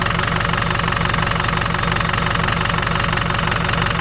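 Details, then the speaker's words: Ford Super Duty 6.0 Power Stroke diesel with a tuner and what looks like a 4-inch exhaust, reading 190 on the odometer, idling cold: loud, lumpy, uneven clatter about four times a second with puffing smoke that clears; the cause is not yet clear. "I mean, it don't sound too bad. It really don't sound too bad. Looks like it might have like a 4-inch exhaust on it, but it does not sound too happy."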